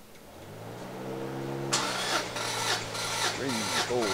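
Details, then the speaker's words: Subaru GC8 version 3 STI with a misfire after an overheat, cranking during a throttle-closed compression test with plugs out: steady even cranking about four beats a second, no stumbles; all cylinders read just over 1200, compression good. "Pretty much all of them are are dead on right in that same area, a little over 1200. So that's great. Compression is good on this engine."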